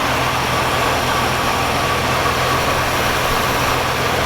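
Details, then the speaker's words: 1978 Oldsmobile Cutlass with HEI distributor, first start after sitting since 2005: smooth, steady, quiet low idle, even beat, lifter tick quieted, running on all six; later dies and backfires through carburetor lacking accelerator pump. "this thing is so quiet sounds like it's running on all six as well wow unbelievable how nice this car runs"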